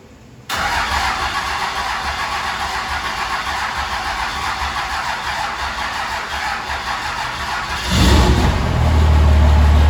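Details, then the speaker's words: 2005 Cummins diesel build, first start after rebuild with most air bled from the fuel system: quiet, then several seconds of steady rapid starter cranking before the engine catches and settles into a deeper idle; injector supply lines checked for leaks. "most of the air out of the system and we're going gonna start cranking this damn thing of course along the way checking under the hood for leaks at your injector supply lines"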